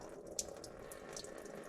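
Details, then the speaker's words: John Deere 450B dozer, engine off during teardown: steady trickling, splashing pour of coolant leaking out, explaining coolant getting into the engine. "well look at that I'm standing here and all of a sudden I heard something peeing that's the exact spot that I said that I keep wiping something off"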